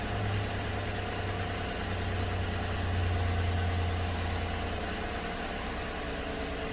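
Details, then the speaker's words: 2016 GM truck 5.3 V8 at idle on fresh plugs, bank 2 lifters recently replaced with GM parts and AFM deleted by tuning; misfire counts keep climbing on cylinder 6, suspected injector at first, found to be the number 6 exhaust lifter collapsed again. "pay particular to attention to cylinder number six well it's still counting misfires on cylinder six"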